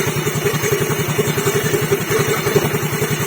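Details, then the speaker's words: Yamaha Fino CVT scooter after fixing a worn crankshaft journal without engine teardown: quiet, even single-cylinder idle with no knocks, rattles or misses, showing the press fit is right. "Well, it has to be quiet. If it's quiet, that's the point, eh, it means the press is perfect."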